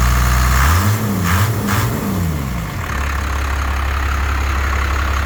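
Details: 1st Gen 12-valve Cummins truck after its injectors were rebuilt and reinstalled with pop pressures around 3,700 and good spray, chatter and leak-down: revs up and drops back cleanly, then settles into a deep steady idle with no knocks or misses; healthy.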